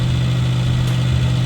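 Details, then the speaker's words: Suzuki Samurai on MicroSquirt 3.0 engine management, idling nearly at operating temperature after replacing an overheated hall sensor pull-up resistor and tweaking the AFR map: steady, even low rumble with no misses, knocks or surging; normal idle. "So, I replaced that and I have everything uncovered right now, but I've been idling it. Nothing's melting. Nothing's trying to catch on fire. It's almost up to operating temperature."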